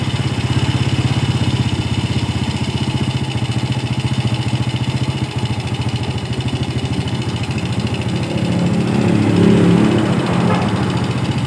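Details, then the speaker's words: Yamaha Vega R motorcycle idling after its faulty carburetor was serviced and refitted; air filter cleaning and body covers still to go. A steady, even single-cylinder putter with a brief smooth rise in revs; normal clean idle. "Baiklah jadi pemasangan karburator sudah selesai jadi nanti kita tinggal pembersihan di bagian acre filter saringan udara dan juga pemasangan box box dan cover bodinya jadi kita rapikan jadi motor sudah normal"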